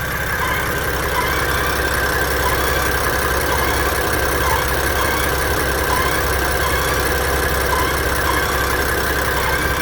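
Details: 2015 BMW F80 M3, 6-speed manual, 64K miles, stock: thin constant whine over the idle rumble, only at idle after warm-up and driving, louder some days.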